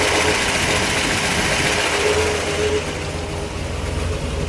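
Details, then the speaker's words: 1959 Chevrolet Bel Air, factory 348 CI V8 tri-power with three carburetors, 335 HP, 4-speed manual, restored original dual exhaust: loud, even V8 burble and steady lope at idle through the dual pipes, no knocks or misses; normal idle. "Let's fire it up. We'll listen to it idle with all of it, how it normally sounds. Remember, this is an original exhaust."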